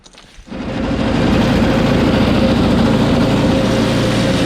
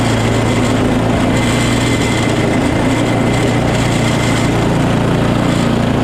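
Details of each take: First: Small engine started with carb spray after a quick carb clean. It catches and runs slightly unevenly, but only on choke; it stalls once taken off choke. A lean carb or fuel problem is suspected. The recoil does not retract. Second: Small single-cylinder engine after quick carb clean, primer now making noise: steady even running with no misses, surges or knocks; sounds healthy.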